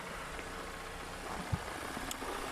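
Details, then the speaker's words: 2017 Mazda CX-9 idling, recorded with the hood open during an inspection: quiet, even idle with a soft steady hum and no miss, knock or rhythm change; engine sounds good, normal idle. "so engine sounds good"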